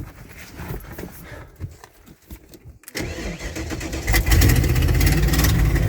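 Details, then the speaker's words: 1995 Ford F-250 4x4 plow truck, last on the road in 2016, first start; cranks and catches, then runs loud and uneven with a coarse chuffing puff about four per second. Owner suspects a large exhaust leak, possibly at the manifold. Rough running. "does not sound very good huge exhaust me someplace or nothing manifold it sounds like"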